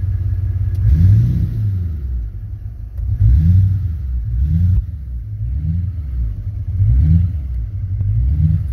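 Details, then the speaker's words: 2003 LB7 Duramax, not fully warm, on one small battery, possibly once tuned: under full or partial throttle the diesel surges and sags and stalls, but restarts right away; cause unclear. "that's to the floor now it's stalled out sometimes it stalls sometimes it doesn't let's fire it up again then it fires right back up again"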